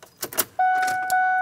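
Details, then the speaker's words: 2000 Lincoln Navigator 5.4L after replacing the air ride suspension compressor, key on: a few light clicks, then a relay snap and a steady electric motor hum as the compressor runs normally, raising the vehicle to ride height. "there we are I can hear a click on all right I can hear it running at this point you want to let it get up to its proper running height"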